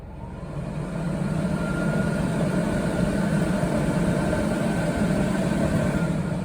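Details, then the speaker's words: New Coachmen Nova 20C RV's Cummins Onan generator, 0.7 hours, after recall fuel-line replacement for vapor lock stalling, powering the Truma air conditioner on low: steady even hum under load; running normally. "turn it on a low so I can hear and so far the inner the motor generator is operating still running"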